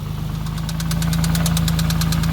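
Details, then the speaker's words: 6th gen Nissan Maxima, manual, with 4-inch intake and gutted intake manifold: sharp regular knock about eight per second over idle, no pedal response; cause unclear (owner hesitantly suspects rod knock), better than yesterday. "so as you can hear we got we got some ticking coming from the motor no response coming from the pedal actually I got to say it sounds a lot better than it did yesterday"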